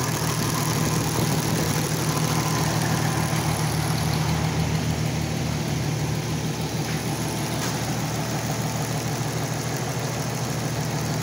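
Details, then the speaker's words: Oliver 880 tractor unrun about 23 years, idling on choke: sharp ticking puff on each firing pulse, about three per second; exhaust manifold leak, owner also suspects rusted heat exchanger area or intake manifold gasket. "maybe there's a rusted through hole in the heat exchanger area maybe one of the intake manifold gaskets definitely an exhaust manifold this shot"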